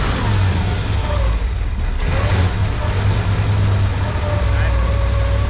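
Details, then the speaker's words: 1965 Lincoln Continental running on temporary fuel line after revival, still cold-natured: steady, deep, even idle with no misses or knocks; previous blow-by gone, idle good, sounds healthy. "I don't have any more Blow by any more weird Blow by coming out uh the idle's good"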